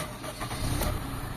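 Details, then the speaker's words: Toyota GLI with 4A-FE engine, automatic, brought in for very high fuel consumption (20 liters Pangasinan to Talavera): on first start it settles into a low, soft idle that sits too low. "Yan, sa unang andar mga bossing, mababa yung minor."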